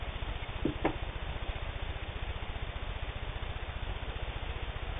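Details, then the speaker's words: Singer 15-91 WWII-era all-steel sewing machine, can-type internal motor with worm gear drive, sewing thick layered denim: quick, even needle rhythm with soft motor hum, steady; normal running. "Then I'll double that to make 8 layers. No problem at all sewing 8 layers of denim."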